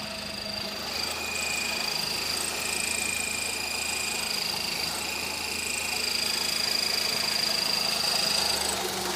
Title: Honda Civic "chirping" noise